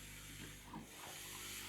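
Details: Vax floor steamer after bypassing the filter: quiet, steady hiss with a few soft spits; steam flow strong and even, working properly.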